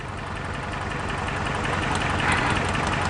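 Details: Toyota 4Runner brought in for a suspected clutch job, diagnosed with a test light: rough, uneven idle pulse with an occasional stumble in the beat; a cylinder misfiring at idle.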